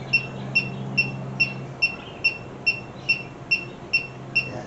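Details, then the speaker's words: 1967 Mercury Cougar cobbled AC system, rechecking after snugging loose hose clamps: leak detector gives slow even ticking about 2.5 per second with no speed-up; earlier reading was residual refrigerant, no leak detected, system sealed. "Yeah, that was residual. So, maybe not."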